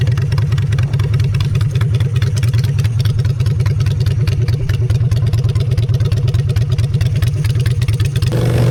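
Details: Honda Shadow V-twin after a custom makeover with custom exhaust, in neutral: a deep, loping idle with even low thumps and clean pickup when revved through the loud exhaust. Normal idle.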